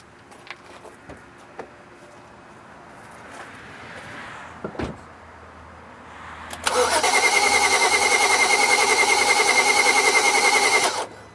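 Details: 2011 BMW 335i towed in as a crank-no-start with DTCs 2DD6 and 2DCF. About four seconds of quick, even cranking without catching. Servo motor wiring under the valve cover is to be checked next. Cause unclear.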